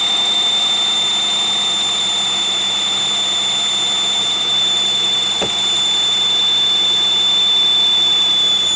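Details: 2001 Pontiac Aztek GT after reassembly: steady piercing high whistle over a quiet engine run, little change; ear-piercing scream of unknown source persists, sensor suspected but unlikely.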